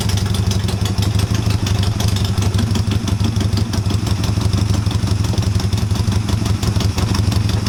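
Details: Honda CB250 scrambler build, first start in a while on a charged battery with new mufflers fitted, cold on choke: steady low thump with a slight uneven lope; running as expected.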